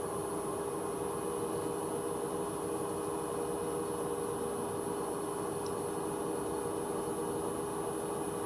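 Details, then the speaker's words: Hoover H-wash 300 Plus on an empty spin at 600 rpm: a steady whirr with a faint high whine, and pulsing from the start of the spin. Worn drum bearings are suspected, not confirmed. "When I got to 600, it started pulsing. Tell me, guys, is that normal? Because I don't think I've ever heard it do that. And also, you can hear bearings."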